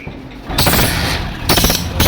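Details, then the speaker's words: Hero Passion Pro single-cylinder, kick-started with no battery: rough, loud phat-phat puffing at the cylinder head, which is wet with leakage from below and losing compression; blown head gasket leaking exhaust. "यहां पर जो है head जो है इसका पूरा तरह से लीक है यहां पर देख पा रहे पूरा गीलापन है ये नीचे की ओर से लीक है और यही हेड जो है कंप्रेसर वीक कर रहा है। वही जो है फटफट आवाज कर रहा है।"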